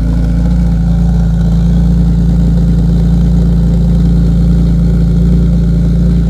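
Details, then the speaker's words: E46 M3 with SMG, otherwise stock but fitted with a B&B Tri-Flow exhaust that removes much of the rasp, on a recently replaced battery, cold start: deep, even burble with no misses, ticks or knocks; normal cold start idle. "So what you're going to hear is stock M3 with the B&B Tri-Flow, which I think sounds really good. It has eliminated a lot of the rasp."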